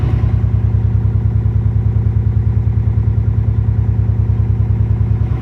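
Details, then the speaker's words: 2003 Subaru WRX wagon at first startup after replacing all four coil packs: deep, lumpy idle with an uneven pulsing exhaust beat and the engine shaking; a cylinder 2 misfire is detected. "oh my engine's shaking guys this is not good I don't think it's good"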